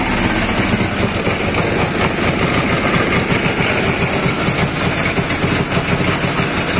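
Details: Dnepr 10-36 engine after replacing worn blue connecting-rod bearings and the connecting rod, which had knocked and shed metal shavings: runs at a fast, even beat with no knock under the exhaust; healthy.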